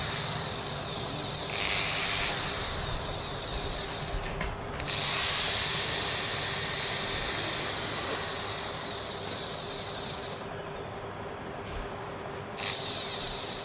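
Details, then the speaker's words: New Inditrust 10mm 350W reversible corded electric screwdriver, first no-load run at unboxing; shrill, coarse whir in repeated free-running bursts with a rough, cracked edge; harsh motor noise, reviewer suspects armature about to fail. "देखिए दोस्तों, यहाँ पर हमने इसकी आवाज़ सुन लिया है, लेकिन आवाज़ में इसकी मज़ा नहीं आ रहा है, यानी इसकी आवाज़ बिल्कुल फट रही है। ऐसा लग रहा है जैसे कि ये मशीन, इसका आर्मेचर ख़राब होने के लिए तैयार है।"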